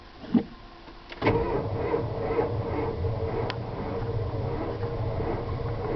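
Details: 1992 7.2 IDI diesel truck, glow plugs cycled, also happens warm: click then laboured cranking that slows as if batteries dead then speeds up without catching; failing starter, not batteries or wiring.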